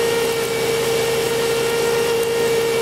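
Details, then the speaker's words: 2005 Chrysler Pacifica 3.5L V6 idling in park. With the alternator reconnected, a constant thin whine starts; the faulty alternator induces an AC ripple into the output shaft speed sensor signal, causing erratic speedometer readings. "have the alternator disconnected so I'm showing a flat line but when I hook it up you'll hear the alternator start whining out"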